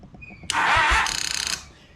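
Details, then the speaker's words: 2002 Honda Foreman TRX400 ATV being revived, start relay clicking: strained short churn as the front-mounted starter struggles and barely turns the engine; owner suspects a bad, tired starter. "that starter is trying so hard that starter is right up front it won't do it so I'm thinking that I have a bad starter on this bike"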